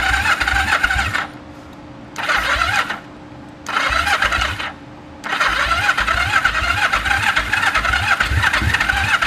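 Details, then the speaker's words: 1974 Yamaha TX500 twin after 20+ years stored, on choke: repeated cranking bursts with pauses, the last sounding close to firing. Spark confirmed; it ran right after, and the carbs and a hung-up valve need work. "Come on. It's trying. It's starting to pull fuel. It's trying."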